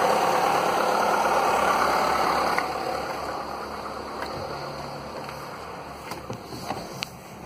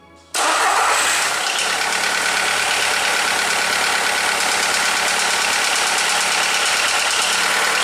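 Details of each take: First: Skoda (probably Fabia) with VW 1.4 16V petrol engine, morning start after swapping in used pistons to cure piston slap, briefly broken in: smooth, even idle with no slapping or knocking; the old cold-and-warm piston knock is eliminated. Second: Skoda (likely Fabia) 1.4 16V petrol starting and idling: hollow, uneven knock underneath, piston slap from worn pistons; pistons replaced.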